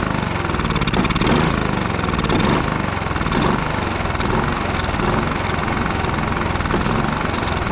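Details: Westinghouse iGen4500DF inverter generator that would not run after almost a year in storage, now on fresh fuel with Seafoam added: the small single-cylinder engine runs fast and steady with an even buzzing beat, no misses or surging; normal running.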